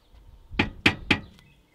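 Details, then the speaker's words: Nissan Primera P12, rear noise after a 400-mile trip; muffler shaken by hand: three sharp metallic knocks about a quarter second apart. The muffler moves too much and its hanger arm strikes nearby metal. "so it seems the muffler is moving too much and hitting something"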